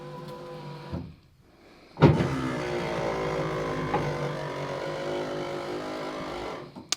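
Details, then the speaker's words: 1985 Chevy Silverado power window after new weather stripping, greased tracks and oiled pivots: a steady low buzzing hum for about 4 s as the glass rises, louder than ever, though not present when it was binding; cause unknown. "yeah it wasn't making that noise before when it was binding up and now it is I greased all the tracks I oiled all the pivot Points and uh now it's making more noise than it ever has"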